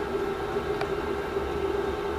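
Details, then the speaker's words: Chinese diesel heater warming a shed, just fired up and running flat out: a steady whooshing roar with a constant mid-pitched hum, no ticking or scraping; it calms to a low tick-over once the shed reaches temperature. Normal fan roar during warm-up. "you can hear it roaring okay let's tidy the shed up while that's doing that now it's a lot harder in the shed excuse the noise it will calm down in a minute"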